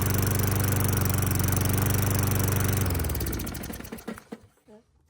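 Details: Lawn mower that wouldn't start after storage, after cleaning the carburetor bowl and main jet, started on starting fluid with the air filter off: the small single-cylinder engine fires evenly about four beats a second for three seconds, running cleanly.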